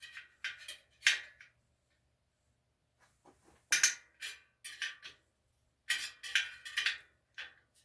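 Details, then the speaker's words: Bicycle wheel truing on a Park Tool TS-25 stand: sharp isolated pings and cracks in clusters as twisted spokes pop free while the nipples turn, which is normal. "Now it's very normal to hear some cracking, popping like that. And it's like the spokes, the nipples are turning, but the spoke might not necessarily turn."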